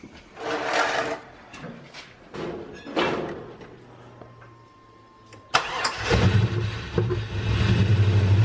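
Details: LS-swapped Suburban first start after the swap: cranks, fires and settles into a fast raised idle held well above normal; cause not pinned down, a too-tight cruise control cable is blamed and the new cold air intake is suspected.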